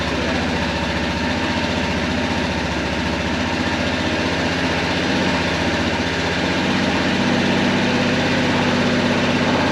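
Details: Kawasaki Prairie 400 single-cylinder ATV after engine rebuild with replacement cylinder, first start on choke: loping uneven thumping idle, smoking; carburetor still acting up, owner thinks it needs a float adjustment; rough idle.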